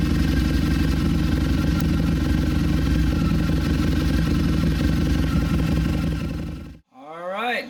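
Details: 2014 Harley-Davidson V-Rod Muscle just after installing a Dynojet Power Commander 6 piggyback fuel tuner; strong, even low pulsing about four beats a second for six seconds, then a quick rev. Engine runs clean; normal running.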